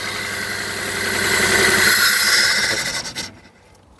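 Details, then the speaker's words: Peugeot 107 three-cylinder petrol (Toyota Aygo/Citroen C1 type), cold, one coil pack failed: running rough and shaky, then with another coil disconnected it breaks into lurching pulses and stalls, unable to run on one cylinder; method to find the dead coil. "it can't run on one cylinder. So each time you do that, if you do it quick enough, they don't stop."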